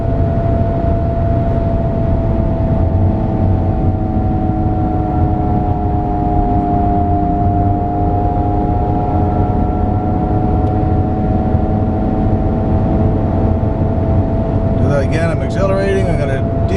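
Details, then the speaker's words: Vehicle at highway speed with a steady mid-pitched whirr over road rumble, persisting when off the accelerator, before replacing a worn front wheel bearing; noise gone after replacement at 110 km/h. Finding: worn front wheel bearing. "hopefully you can hear that constant whirring sound"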